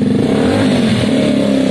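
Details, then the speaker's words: Gilera DNA 125 single-cylinder scooter after a carb upgrade and tuning: revs up smoothly and evenly with a steady pitch and no stumble or rattle. "I start this bike it revs throughout the Rev range it's it's done and dusted"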